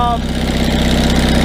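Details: 1974 GMC RV generator started via starter solenoid jumped with a Bosch starter switch during electrical repairs. Steady, even low thrum at one speed with no misses or knocks; running smoothly.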